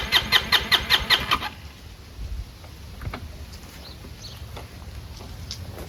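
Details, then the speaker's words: Chinese 150cc GY6 scooter: about seven quick, even cranking pulses, then it stops without firing; no start. Owner suspects an air-fuel mixture problem; it later started only with starting fluid. "I'll show you what it sounds like right now. Won't even start."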